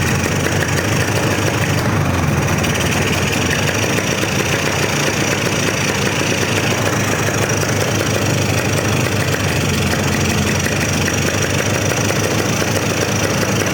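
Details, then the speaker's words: 1998 Polaris 400 liquid-cooled two-stroke ATV, idle set all the way up: rough, labouring note that never clears; bogging badly and lacking power, and it died when the choke was pulled; cause unknown. "This sound like it lacks on power. I got it idled all the way up. I pulled the choke and it cut off. It sounds like it's lacking on power real bad."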